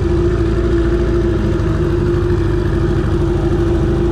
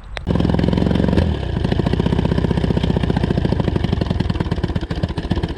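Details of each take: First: Johnson 20 hp two-stroke outboard on the water after carb clean, lower unit service, water pump and idle adjustment: steady even drone near 350 Hz, no knocks or misses; water pump working, runs smoothly under throttle. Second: Johnson 20hp outboard: it buzzes steadily, then surges unevenly, sputters and dies; it starts and runs only with the choke out, so a fuel problem is suspected. It also ran very hot with no water seen, so the water pump is suspect.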